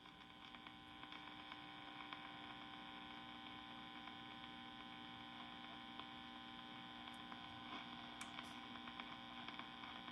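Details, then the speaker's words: 1952 Wards Airline AM tube radio just after replacing the IF transformer's silver mica wafer with two 100 pF capacitors: steady even hum with a thin high whine and a very faint station; reception improved but still weak. "Okay. It's different. I hear a station in there. It's very faint, but I can hear it."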